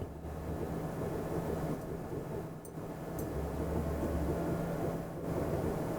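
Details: 2010 Chevy Impala idling after a brand new exhaust was installed, started to check for leaks at the clamps: quiet, steady low idle hum with a soft hiss and no puffing or ticking at the pipe; normal idle, exhaust sealed.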